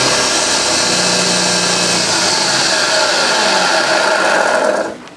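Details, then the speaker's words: Refurbished vintage Hoover 612 upright vacuum running normally on carpet while picking up crushed Weetabix test dirt; smooth, steady motor whir with brush sweeping, even pitch until it winds down. "Not a problem at all. Got it all in one go. It doesn't rip the carpet apart, I've noticed. It does suck it up into it though."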